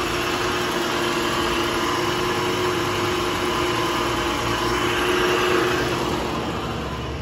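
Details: 2008 Toyota Camry SE 2.4 automatic, 253,507 miles on car, engine said to have about 15–20k, sat a long time, front-end damage: steady, even idle hum, no knocks, misses or ticking; runs good.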